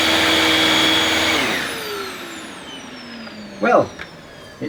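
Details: Used Dyson DC21 Motorhead canister vacuum on carpet with cleaned powerhead: steady whine with brush spinning, pitch falling as it winds down; less rattle than the DC23's powerhead, though slight rattling remains.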